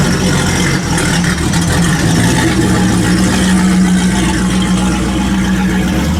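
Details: 1974 Chevy Caprice convertible with an LS swap and a big single turbo, making power in the mid-800 hp range, first start after a Holley 12-1800 fuel pump upgrade, with fuel pressure shown and no leaks; steady, even rumble and smooth throttle blips with no misses or knocks, running clean and healthy.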